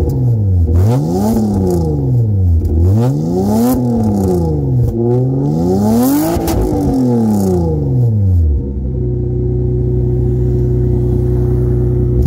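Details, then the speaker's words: 1993 Toyota Camry SE V6 5-speed, rusted-out muffler removed, direct pipe: loud raw open-pipe bark rising and falling with each rev, then deep rumbling idle; straight pipe. "to give you a nice little startup of her without the muffler just direct pipe for three vc"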